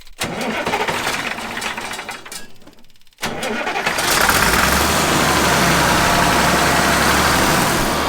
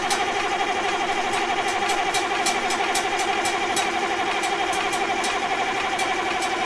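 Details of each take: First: 1965 Allis Chalmers TL645 wheel loader, turbocharged 6-cylinder AC 3500 diesel, restarted after 10+ years once the Stanadyne injection pump was cleaned: cranks, stalls briefly, then settles into a steady, even idle clatter. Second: 1965 Allis Chalmers TL645 loader, turbo 6-cylinder AC 3500 diesel, dry after 10+ years, with the reinstalled Stanadyne pump and loosened injector lines: steady cranking at about two compressions a second, no firing and no fuel delivery; ether is tried next.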